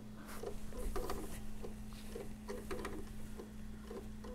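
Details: PS4 Pro optical drive with game disc inserted: quiet irregular clicks and whirs repeating over steady hum as drive keeps cycling eject; fails to load, showing unrecognized disc error.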